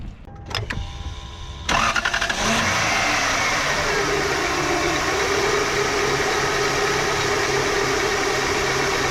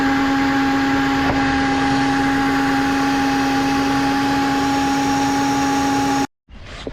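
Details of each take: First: 1999 Lexus GS400 after power steering pump, hoses, reservoir and accessory belt tensioner replacement: brief crank, catches into steady even idle, no more growling or whining; normal idle. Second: 1999 Lexus GS400 at start-up, belt tensioner bearing known bad but separate; power steering pump area found wet, looking like a leak: steady loud whine holding pitch over the engine for six seconds; owner believes power steering pump is whining.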